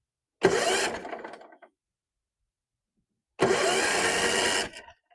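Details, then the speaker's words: Tecumseh 17.5 hp Yardworks ride-on mower, old barn find, cranking with the spark plug out: two short bursts of rattly, loose, wonky whir from the starter; starter problem suspected, not confirmed. "Something doesn't sound too healthy in there. Sounds like a starter issue. It's very, very wonky and loose."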